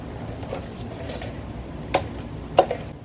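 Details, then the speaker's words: Motorcycle front end, stationary in a garage, bars turned lock to lock: two light metallic clicks from slight play in the semi-floating brake rotor; normal, nothing wrong. "so that's it just this little movement of the semif floating rotor is what makes that click noise"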